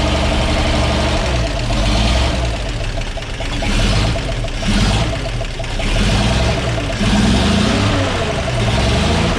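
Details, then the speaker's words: 1942 Blitz truck being revived, after rebuilding the carburetor and cleaning the air filter: deep, steady low rumble with smooth throttle blips that settle back cleanly; idle even and healthy. "So she's idling a lot better now. Oh, I cleaned up the old air filter and put that back on."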